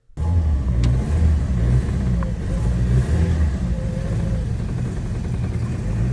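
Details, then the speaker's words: 2009-2013 Toyota Corolla with low compression in all cylinders (failed head gasket suspected), cylinders flooded and cleared: low, uneven rumble only kept alive with some throttle; runs badly in drive; hard start. "Now I got it running, but I had to step on the gas a little bit to keep it running. Although the engine seems to be running fine in idle, when I put it in drive, it ran like crap."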